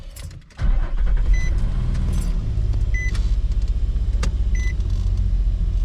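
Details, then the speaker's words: Nissan Xterra road test after replacing shot differential: steady low road rumble with faint chimes, no whine or howl from rear end; differential healthy. "So far, I don't hear any noises, so that was awesome. I'll take it up to speed, do a little acceleration, deceleration."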